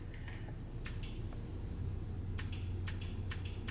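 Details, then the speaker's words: Truck 4L80E transmission with push-button relay third-gear spool mod, key on, heard from underneath: short crisp clicks in clusters over a low hum as the 2-3 shift solenoid energises on button press, working normally. "can hear the two-three shift solenoid engaging when I do that so that should be okay"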